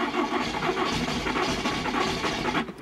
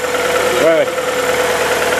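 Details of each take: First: VW Polo with a known coolant leak that won't start: starter spins the engine with uneven churning but it never catches. Owner fears coolant in the cylinders from a head gasket; a faulty ignition lead is found. Crank no-start. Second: VW Polo after replacing ignition harness and all four spark plugs following a no-start and coolant leak: quick throttle blip rises and falls cleanly, then smooth steady idle without misses or knocks.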